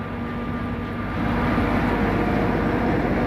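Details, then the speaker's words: Hay cutting machinery checked before cutting: steady, even drone rising slightly as it comes up to speed, no grinding or whine; no sign of a bearing about to go, sounds good. "Make sure it's not, doesn't sound like there's a bearing about to go. No, sounds good."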